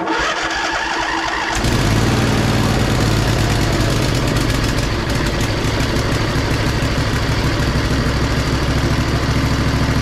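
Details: Used Poulan Pro zero-turn mower after fixing the choke, with fuel shutoff open: cranks briefly, catches around two seconds in, then settles into a steady, even low idle; healthy start and run.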